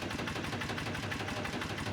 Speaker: See how it's just barely running on that one cylinder? So now, let's come over here to the other side. So the engine's only running on that one side, and this spark plug wire is detached. It's probably idling at 200 RPM.